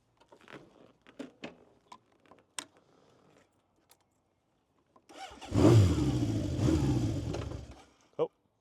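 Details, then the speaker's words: 1970 Honda CB750 K0 four-cylinder, fully rebuilt engine with 2,000 km since: engine catches and settles into a rough, throaty idle, brief revs rising and falling smoothly; normal running and revving. "Uh top condition and the sound of a K0 is really really nice and rough. So, let's hear it."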